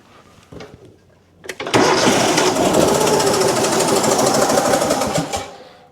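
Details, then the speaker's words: Kohler twin on a Simplicity Stallion zero-turn after head gasket and carb rebuild, tested one cylinder at a time: twin chugs unevenly, about three heavy beats a second, bogging; labored and down on power though both cylinders fire, cause not yet found. "Try the right side. Still sounds labored. Still doesn't sound like it has full power, of course."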